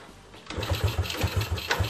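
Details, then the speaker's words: Yamaha Vega RR/ZR motorcycle after carburetor cleaning: starter cranks steadily at about four to five turns a second without firing or catching; still hard starting. "crank sometimes still hard to live"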